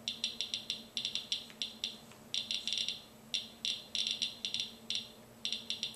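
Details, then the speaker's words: Geiger counter on a check source of potassium chloride salt substitute in a Ziploc bag, weakly radioactive beta emitter: sharp high clicks at random, several per second in uneven clusters, in a quiet room; confirms the counter works correctly. "it is a quick way to determine if your Giger counter is working correctly"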